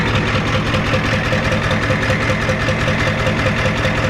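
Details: 1993 Ford F-250 7.3 IDI V8 diesel idling after the injection pump was turned up: steady, even clatter with no misses or surging; definitely sounds better, burning a little oil.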